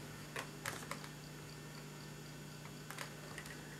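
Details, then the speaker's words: Failed laptop hard drive, powered through a USB adapter. Faint irregular ticking and clanking over a low hum as the heads bang inside the drive, a head crash. "when I heard it it was going Clank Clank Clank Clank the uh the head inside was just making an awful noise it was banging against the sides"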